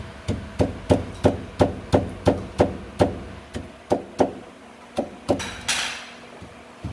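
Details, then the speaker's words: 2012 Mitsubishi ASX rear suspension noise: sharp, regular metallic knocks about three a second as the rear stabilizer bar is worked by hand; worn stabilizer bar bushing makes a loud, uncomfortable rear knock. "aqui fora a gente tem uma variação legal aqui dessa bucha da barra estabilizadora dela tá então aí o nosso virou mas faz um barulho bem alto na traseira bem desconfortável mesmo galera"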